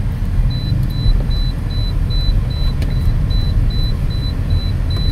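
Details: Toyota Altis after a fix for steering clunks and knocks, test drive over rough pavement; low, even road rumble with a cabin chime, no knocks or clunks.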